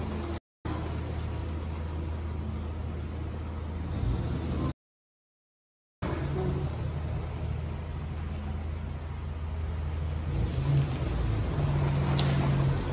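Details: 1994 Jeep YJ on its first drive after fuel pump and ECU repair: steady low engine drone pulling smoothly through light acceleration in first and second gear at low speed; no knocks or misses, runs and drives well.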